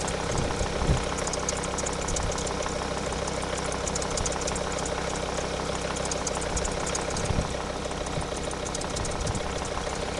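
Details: Volvo S60 D5 diesel at idle with a noisy engine; an irregular rattling tick over the low rumble, not locked to engine speed, with the auxiliary belt suspected as the source.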